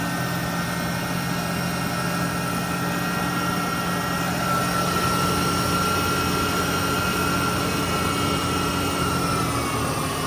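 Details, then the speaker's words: Ford Ranger 3.0 V6 after timing cover repair and coolant refill, warm-up: steady even drone with no knocks, ticks or misses; normal idle. "So yeah, we're gonna let it run, let it warm up."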